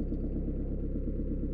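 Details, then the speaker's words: Citroën/Peugeot 1.9 diesel idling after valve clearance adjustment; tappets had been too tight with no clearance, causing hard morning starts and smoke on starting and acceleration; now even low idle, no tapping or misses. "pour cette voiture il y avait un mauvais départ le matin fumoir qui s'échappe au démarrage et même à l'accélération d'un coup mais c'est le problème est résolu"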